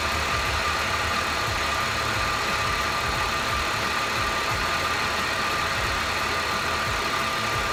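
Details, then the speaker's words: 2003 Mercedes C32 AMG track car that misfires under hard acceleration, at idle: a constant high supercharger whine over a smooth engine note, no knocks. An earlier noise is gone, possibly a fresh-start thing or belt contact. Normal idle. "Yeah, I don't hear a noise. So maybe it was just kind of like a fresh start thing."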